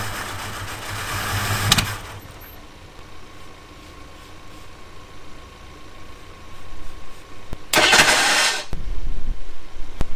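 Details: Abandoned Ford Thunderbird pulled from near Amarillo: starter churns the engine at a steady cranking beat, never catching or speeding up; a fuel pressure check then shows zero fuel pressure.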